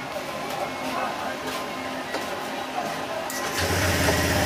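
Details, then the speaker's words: Honda Click125 after engine overhaul for a loud "big bike" noise, fresh oil added, radiator off, brief run: background noise, then engine fires into a steady low idle without the rough roar; big-bike noise gone, normal idle. "nawala na yung tunog big bike."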